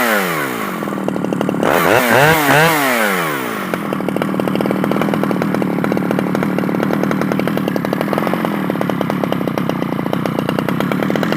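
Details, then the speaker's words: Stihl 011AV chainsaw after a carburetor rebuild; the low jet is turned all the way in and it stays awkward to tune. Blips then an uneven, wandering idle that won't settle. Owner suspects worn crank seals. "my guess is because it's uh it's real awkward to tune it's probably going to need some crank seals it's just a guess you know"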